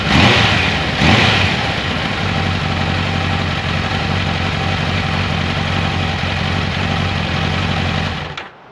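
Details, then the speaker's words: 1994 Kawasaki Concours ZG1000 (GTR1000), after carb cleaning, new air filter, cleaned airbox, oil change, tank off: a couple of blips, then smooth even idle hum, no knocks or ticks; healthy normal idle. "So that's awesome. The bike sounds good. I don't hear any bad noises from the motor."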